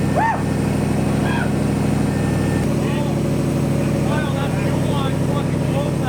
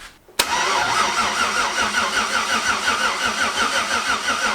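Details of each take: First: Maliboost engine, first start after 30-day build, fuel pressure about 50 psi: steady, even idle with smooth low beat, no knocks or misses, until cut off; earlier ticking possibly power steering pump; normal idle. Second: Twin-turbo LS V8 Malibu first start: starter turns engine over sluggishly with lazy, uneven chug about three a second; poor engine ground, seen smoking, starving the starter.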